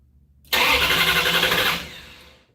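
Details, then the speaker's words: 1968 Barracuda first start attempt: about a second of fast starter churning with no firing pulses, not even a bump. The owner suspects no spark and wonders about the ignition box rev limiter and whether the distributor is plugged in. "everything should be working I didn't even get a bump huh"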